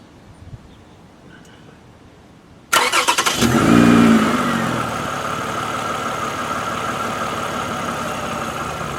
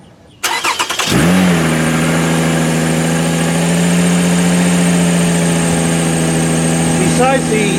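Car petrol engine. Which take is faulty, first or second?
second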